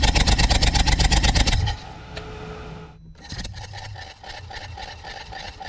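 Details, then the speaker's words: BMW i8 with overheating complaint, compression test while running: quick even pulses about three per second, then quieter steady run; all cylinders 160–170 psi, consistent, head gasket ruled out, engine healthy. "the results of our compression tests were nice and consistent all cylinders read between 160 and 170 psi"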